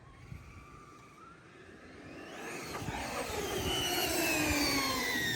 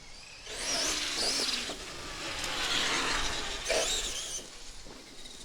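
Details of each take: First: A Traxxas X-Maxx eBay belt drive after belt tightening gives a whine that climbs smoothly with motor speed, with no clicking or chatter. This is normal belt noise, with perhaps slightly too much tension, preferred over too little. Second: On the second test of a Traxxas X-Maxx fitted with an eBay PNW RC Madness belt/pulley drive, the motor whine rises in throttle bursts with a faint irregular clicking chatter. The owner suspects low belt tension causing the belt to skip.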